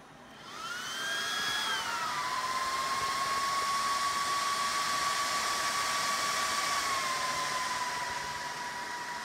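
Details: Dell PowerEdge R210 server power-up: fans spin up to a high whistling whine, then settle to a steady, even pitch; normal loud start-up fan noise.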